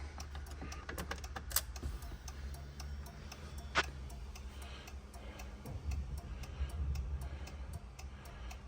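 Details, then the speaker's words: Fiat Doblo that won't start, engine off, right after reconnecting the battery: steady, even relay clicking as hazards flash constantly; diagnosed as body control module losing its memory data. "акумулятори відключений підключив акумулятор машина мигає аварійкою просто мигає аварійкою постійно"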